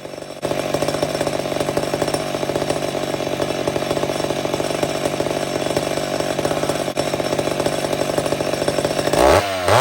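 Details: Old McCulloch Super Pro 70 chainsaw cutting wood: strong steady high-revving snarl holds pitch under load, no surging up and down. Normal cutting with good power.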